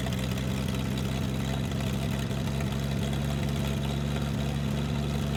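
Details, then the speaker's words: Toro Parkmaster tractor after sitting for years, fed gas poured in directly: low lumpy idle that runs only long enough to burn that fuel, then dies; fuel pump suspected of drying out after long storage. "seems to be running just long enough to use up the gas that i poured into it yeah"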